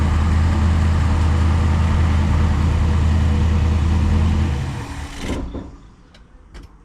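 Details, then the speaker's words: 1970 Acadian Chevy Nova small-block Chevy with new aluminum heads, after fixing oil burning from unsealed through-hole rocker studs, running about half an hour: steady even V8 idle, smooth low beat, then shut off and winds down; no smoke. "turn's good no issues no smoke she's been running for about half an hour"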